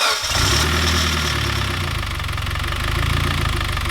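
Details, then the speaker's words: Freshly rebuilt Mitsubishi Evo X engine on its first start: it fires and settles to idle with a loose, uneven low knock for the first seconds, as the bearings run dry until oil pressure builds. "it's gonna take a while to start and don't freak out don't shut it off when you hear it unless they say shut it off because it's gonna knock for a second every new motor does"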